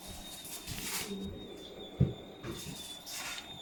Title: Why is my Hotpoint making really bad squeaking noises!?